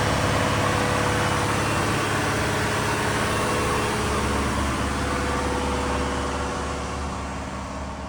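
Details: Diesel fire sprinkler pump on its weekly half-hour test, isolation valve closed (churn load): a steady, loud diesel drone with an even firing beat, holding constant speed; the engine is running normally.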